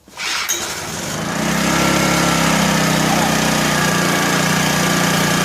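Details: 1984 Honda EM600 generator, bought as a non-runner, on a cold start: a pull-start, then it climbs to a high, fast steady drone that never settles. Engine overspeed; the fine-tune adjuster knob did little, and a throttle issue is suspected.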